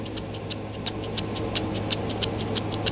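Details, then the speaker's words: Worn aftermarket Comp Cams rocker arm trunnion bearings from an LS engine, failed after about 20,000 street miles with play: rough, gritty purr with uneven clicks about three per second; replaced with a Tick Performance bronze bushing kit. "These are very noisy. I mean, I don't know. You can hear"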